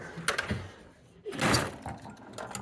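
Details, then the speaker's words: Road Kings pinball machine ramp: short mechanical clatters and rough scraping grind as ramp moves; friction suspected at rear pivot point and a bolt rubbing, ramp failing to release/push down properly. "it could be that's causing is the point of the friction you hear that grinding so part of it is the the ramp itself"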